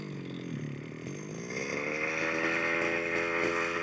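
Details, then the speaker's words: 1/5th scale petrol two-stroke RC car, four-wheel-drive version, after raising the tick over: small buzzing idle whose pitch wanders up and down over a couple of seconds; idle hunting, to be smoothed by richening the low end and leaning the high end. "it's going to go up and down a little bit like that. That's quite a good example, really. Now we can smooth this out by making it a little bit richer on the low end, maybe."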